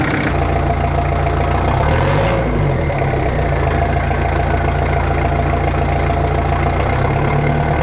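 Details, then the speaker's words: Jeep XJ 2.5TD diesel with newly fitted GT2871R turbo, manifold, exhaust and intake, cold garage: steady, even, loud low clatter at idle after first start, no misfire or odd noises; running fine. "well hopefully you can hear me it's quite loud to be honest"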